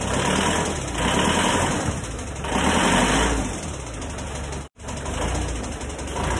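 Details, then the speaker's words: Panther diesel engine, just overhauled yet still very rough: idle with persistent heavy tak-tak knock in steady waves that remains with injector pressure released; combustion ruled out, faulty pistons blamed. "jadi permasalahannya pada suara yang kasar saja ini dan kasarnya itu ya enggak kasar enggak kasar nanggung tapi kasar kasar bangetlah"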